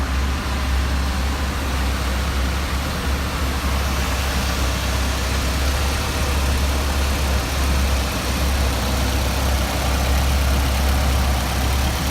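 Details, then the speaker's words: Mitsubishi Evo X with fully built engine and GTX3076R turbo, on dyno after a fire rebuild, right after a pull: deep even idle holding steady with no stumble or rev dip, a past problem now gone. "And notice it didn't stumble or fall on its face after you got done with the pull, which once again, for the viewers out there, is a big problem for me the last couple of years. And yeah, you're right, it's steady."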